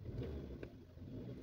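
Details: Maruti Suzuki Swift petrol, new model, after engine mounting replaced for vibration and noise at start: short throttle blip rising and settling cleanly, low even engine note, no clunk or thud from mounts; normal revving, problem solved.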